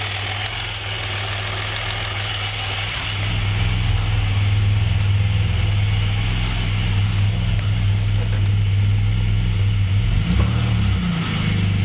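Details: Pontiac Grand Prix petrol engine idling with a deep, steady knock under a low rumble: rod knock from a spun bearing.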